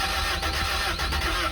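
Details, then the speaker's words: Toyota TE72 wagon barn find, first crank with battery hooked up: starter spins engine in quick even rhythm, seems about to catch but never fires; cranks without starting. "It wants to, but it doesn't. It almost sounded like it was gonna try to start."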